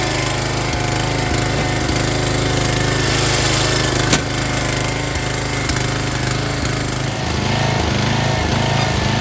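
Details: Long-stored MTD Yard Bug riding mower, restarted without choke since it had run recently: loud, steady single-cylinder chug at an even beat of about four a second, no misses or knocking; running normally.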